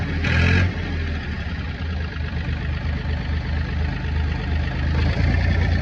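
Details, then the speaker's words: Ford Industrial 420 diesel backhoe, reportedly unused a month or two, battery probably weak, brief start-up burst then held at high idle by a rock in the throttle: steady fast even diesel clatter; runs like a dream. "Sorry about that loud son of a bitch running, but I had to put the high idle on, aka stick a rock in the throttle. But let's see what she'll do. Runs like a damn dream."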